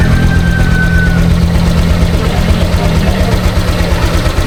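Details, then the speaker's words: Honda Click 125 V3 scooter after replacing a dirty mushroom air filter: engine revs steady and smooth with a low even hum, no stumble, no longer dying; previously it stalled on every morning start. "ayan guys, hindi na siya namamatay. Kasi nung hindi pa natin to pinalitan, kada start ko tuwing umaga."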